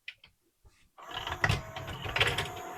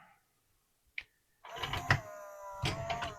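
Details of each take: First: Pioneer CLD-3090 laserdisc player after its stuck tray was fixed by cleaning the belt and old grease: a few light clicks, then the loading motor and gears run steadily without stalling. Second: Pioneer CLD-3090 laserdisc player from July 1991, eject pressed: a click, then the tray motor whirs with a strained, wavering hum as the tray sticks on its track; old grease.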